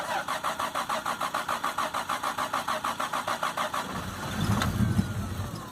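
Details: Toyota Supra, 97 anniversary edition, single-turbo conversion with no MAF or O2 sensors and original ECM gone, first start after almost 10 years sitting on fresh gas; four seconds of rhythmic cranking, then catches into rough, uneven, slightly rich run.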